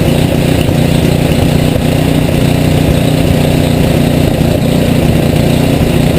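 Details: Rebuilt Tecumseh HM80 on a Craftsman 826 tracked snow thrower, first start with fresh gas and oil, electric start, choke and primer; steady fast even beat with full low drone at high fast throttle, no misses or surging.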